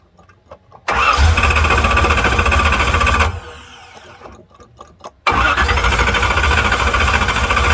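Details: 1968 Corvette, mostly stock, slightly modified engine, after stripped distributor drive gear knocked ignition out of time, started with choke unhooked using accelerator pump: catches quickly, even idle, shut off and restarts cleanly; running decent, fuel leak still to fix.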